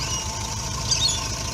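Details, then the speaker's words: Subaru Brumby 1.8 litre boxer, cold, barely run recently: low, uneven idle with wavering beat as if it might die; rough cold idle. "get rough on the idle at the moment but cold obviously she's trying to stay alive"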